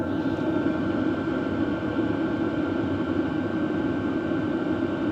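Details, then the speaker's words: BougeRV portable diesel heater fired up on highest setting, measured about 63 dB, still reasonable; steady fan whoosh over even combustion roar, no surging or ticking; running normally. "And I'm getting about 63 dB actually for the highest setting. That's still pretty reasonable."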